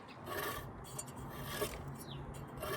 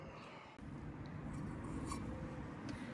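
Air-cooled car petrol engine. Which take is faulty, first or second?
first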